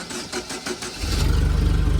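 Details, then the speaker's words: 2010 Doosan propane forklift after replacing the vaporizer/regulator: couple of cranking beats, fires immediately and holds a steady, even idle, no longer nearly dying at start. Normal quick start. "It starts right up. And before it kind of, as you push the pedal, it kind of like slowed down and like stalled, then it went."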